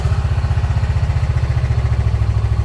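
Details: 2016 Honda Pioneer 700 idling after an oil change and maintenance-reminder reset: an even, steady low putter of about ten pulses a second with no knocks or misses, a healthy smooth idle.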